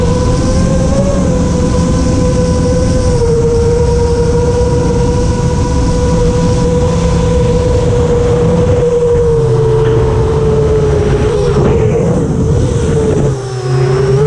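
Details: FR7 quad after tuning with D-min off (D-min had caused raspy, carbon-like resonating motor noise), RPM filter on at 1.5, master slider 1.4, dynamic idle 15: clean, steady motor whine rising and falling smoothly with throttle, no rasp or grit; motors sound healthy.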